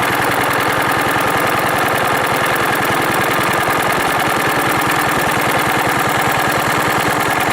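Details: 1940s Wolseley single-cylinder engine, first run in over four years, driving a cement mixer by flat belt: even, steady chuffing with no misses, running a bit fast; it smokes, possibly a stuck ring.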